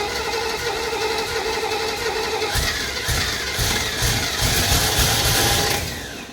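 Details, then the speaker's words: 1968 Camaro 327 V8 (4-speed), first start attempt with a swapped-in Holley carburetor and no fuel supply hooked up: catches and revs unevenly, surging, then dies running only on fuel in the bowl; fuel line found dry, fuel starvation. "Well, there's no fuel going up into that line. I just took it apart and it's dry. So, as of right now, there's just no gas in it."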